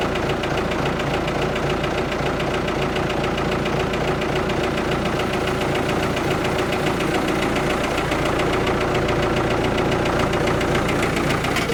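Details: Ford 655A backhoe diesel just started after sitting abandoned, steady even clatter about 214 beats a minute without stumbling; sounds real good, normal idle.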